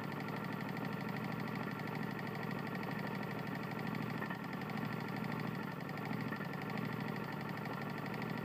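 Small single-cylinder engine running with a quick, sharp metallic knock on every turn over the engine note; a worn connecting rod.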